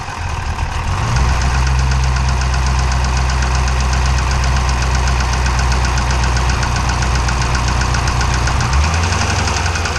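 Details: Dodge/Chrysler 392 V8 with 1400 miles, idling: sharp metallic knocking about four per second from start to shutdown, loud and diesel-like (Cummins-like); engine knock of undetermined source.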